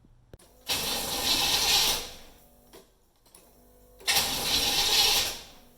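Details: 1990 Chevy Camaro IROC-Z, starter replaced a couple of months earlier: two one-second bursts of starter cranking and the engine never fires; cranks but won't start. Owner suspects the petrol and is having the battery tested.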